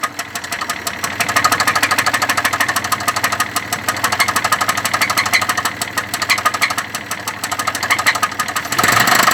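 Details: Engine at idle with a sharp, regular knocking of about three per second throughout; the source of the knock is uncertain and the cause is suspected, not confirmed.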